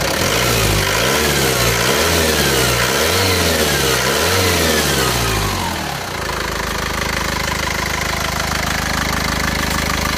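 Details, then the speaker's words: Isuzu Panther pickup diesel after engine repair for blow-by, at about 82°C working temperature: several rev rises and falls then steady, even, smooth idle with no knock or miss, no thick smoke; healthy diesel. "ini suaranya seperti ini. tetap halus rata."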